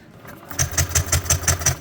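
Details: Yamaha Aerox V1 scooter that stopped starting this morning: steady starter cranking at about six beats a second with no catch or firing. Fuel pump and electrics work and the injector sprays fuel; cause not yet found.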